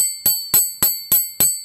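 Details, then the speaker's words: Struck piece of tool steel, a warped pin or fastener part they plan to try drilling out larger with carbide bits: five sharp strikes about three a second, each ringing clear and high with long clean decay, showing good, hard tool steel. "But listen. See, that's good tool steel. Hear that?"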